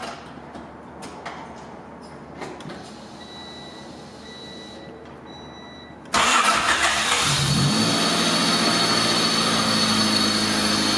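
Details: Budget Honda Civic project after a new Gates timing belt and new valve cover gasket with spark plug seals: quiet, then it catches at once and settles into a steady, even idle with no knock or misfire. Owner hopes the timing is right; healthy start.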